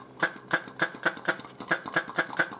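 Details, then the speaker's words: Mixture control valve, a vacuum/pressure relief on the front cylinder of a 1st-gen Yamaha Virago XV750, pumped by hand off the bike. Quick hiss-click puffs about four a second keep burping instead of releasing once. Owner suspects the spring or cap was disturbed when he took it apart. "this one is a little bit messed up because i took it apart and so even if i glued it all back together it's not going to work anymore because it no longer just gives one burp it'll just continue to burp"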